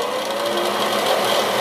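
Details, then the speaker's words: Ceiling bathroom exhaust fan, long noisy, once cleaned: steady buzzy whir with a raspy, slightly fluttering edge; still noisy, maybe slightly better, cause not found. "I'm not sure what it really did but they're gonna can only add to the noise let me turn it on I'm not sure if it's any better"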